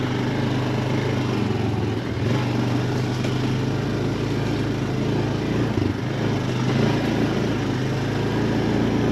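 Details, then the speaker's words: 2007 Honda Foreman 500 ATV after replacing the electric shift motor (it shifted poorly when hot): steady, even drone with brief dips near two and six seconds at gear changes; pulls cleanly and shifts easier. "it sounds better. Sounds like it shifts a lot easier."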